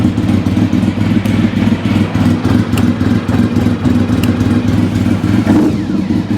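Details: Vehicle stood for four years, started easily on choke: steady idle with a light, fairly regular tick about three or four per second; source unknown; clutch probably needs bleeding.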